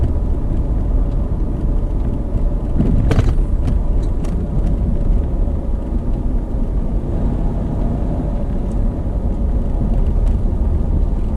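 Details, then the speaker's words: 1987 GMC Vandura 2500 van with GM 8.5-inch rear end at 15–20 mph: constant loud low roar, no knock or clunk, worse than the earlier slight whine; rear axle bearings suspected. "But it is pretty loud in here, even as slow as I'm going. And back when I first got this van, it kind of made a little bit of a whining sound."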